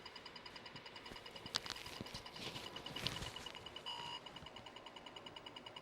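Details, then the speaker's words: Atari 400 computer on a 9 V AC supply measuring 11 V unloaded: rapid keyclick beeps repeating about three times a second without stopping, caused by a stuck-down spacebar registering endless presses. "Oh, it thinks the keyboard's getting clicked. Look at that. Somewhere. Where was the think? Oh, the spacebar's stuck down."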